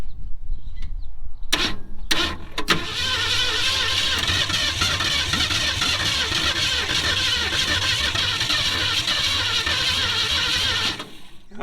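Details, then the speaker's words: 1966 Ford Mustang 289 V8, 3-speed, sitting over 20 years, fed from a mini gas can by hose: steady fast cranking for about eight seconds that never fires. Starter spins but no start; owner considers an electric fuel pump; cause unconfirmed. "come on now you need a whole exxon station to start or something"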